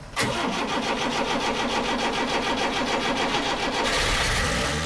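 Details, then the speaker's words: Narrowboat's old London taxi diesel engine after a mechanic's repair and fuel-system bleeding: brief cranking, then it catches into a steady clatter with a rev rise near the end; clean start. "Yes! Whoops! The poor old boy on the other boat's got a lung full of diesel fumes."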